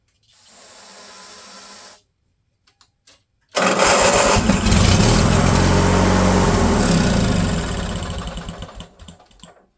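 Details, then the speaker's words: Junkyard machine: brief whirr, pause, then about four rough grating cranks per second before dying away; the starter sounds noisy and worn. "I ain't going to lie and say the starter sounds good when this thing's cranking over because it doesn't. But it'll make noise here."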